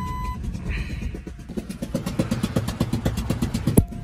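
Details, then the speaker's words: Ford Excursion 6.8L V10 gasoline with a spark plug blown out of the head, three plugs having blown so far: heavy rhythmic chuffing over a rough idle, like a helicopter. Loud, unpleasant, and being driven home because no tow is available. "Just like a helicopter. It is not a pleasant sound. Oh my gosh."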